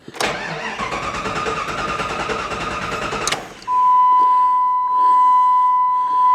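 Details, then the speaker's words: 1998 Jeep Grand Cherokee after a fuel tank replacement: the starter grinds about three seconds, then the engine catches on its own fuel and settles into a smooth idle with no clatter and good oil pressure. Normal start. "oh sweet so it's running under its own power on its own fuel well that's a serious bonus i don't hear the motor clattering that's also a bonus"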